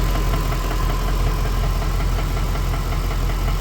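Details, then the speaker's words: Ford BA Fairmont V8 after timing chain replacement, warm idle: dull, fairly regular knock, two or three a second, not from the timing cover but further back near the center; owner suspects a worn piston pin. "I don't know if you can hear it, but I can hear a knock. It's not coming from the timing. It's coming from back here."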